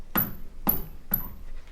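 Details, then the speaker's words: Toyota Tacoma with a full-size 33-inch spare hung underneath, knocked by hand; thin, high tinny squeak, which the owner believes is the loose spare rattling on trails and bumps. "that's what i'm hearing rattling whenever i'm out going on trails or hitting little bumps and stuff like that so i'm pretty sure it's just a spare tire just loose"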